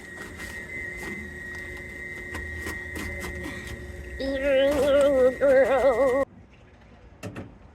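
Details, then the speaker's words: HVAC unit on a service call: a wavering, meow-like squeal of about two seconds over its steady hum, suspected to be dry, worn bearings (unconfirmed). "broken wow that's that sounds like unhappy bearings"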